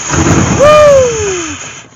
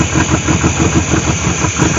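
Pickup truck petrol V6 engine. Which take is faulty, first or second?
first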